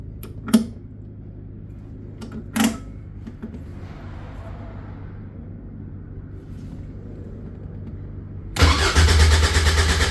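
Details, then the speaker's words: Caterham 7 620S cold after sitting overnight; two sharp clicks, quiet fuel-pump whir priming, then steady cranking that never catches; no tach reading while cranking; cranks, no start, cause unconfirmed. "Try removing the immobilizer. So that flashes a lot. And no start."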